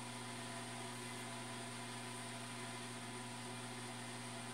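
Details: Newly bought automatic egg incubator on its first live test, still warming up; quiet steady fan hum with a low drone and soft airflow hiss, no rattles or wobble, running normally.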